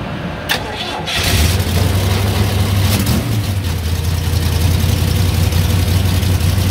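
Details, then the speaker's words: 1987 Ram D50 with Ford 302 V8 swap (new MSD ignition, new carb, new valve cover gaskets, firing order corrected): cranks and catches, rapid puffing tick over rumbling idle from an exhaust leak at a V-band clamp that can't be tightened further; exhaust to be redone. "it's got a pretty good exhaust leak right there one of the v-bands and i can't get it any tighter i'm worried i'm gonna break it so it's just in a bind and it's not in very good shape"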